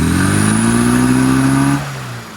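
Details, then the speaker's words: Fairly standard 1100 engine at idle with no vacuum advance connected, strobe reading 41 degrees: flat-sounding blip that rises and sags back to a dull, lumpy idle; ignition timing over-advanced, about 30 degrees to be retarded. "Okay, so just getting the strobe reading, that's idling, no vacuum connected, and we've got 41 degrees, so that's why that engine's running lumpy."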